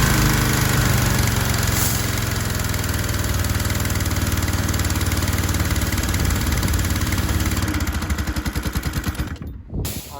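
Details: Troy-Bilt 2700 PSI gas pressure washer with auto choke, repaired with replacement pump head, running with water on: engine runs steady then slows and stretches out until it stalls; unloader misadjusted, loading engine down, unloader then adjusted.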